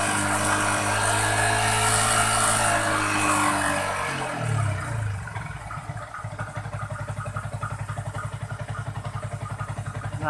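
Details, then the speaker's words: Yamaha Jupiter MX King 150 reheated after engine and radiator work: loud run-up settling into an even ticking idle with a steady whir underneath; radiator cooling fan now working, running normally. "itu ya kipas yang sudah berfungsi"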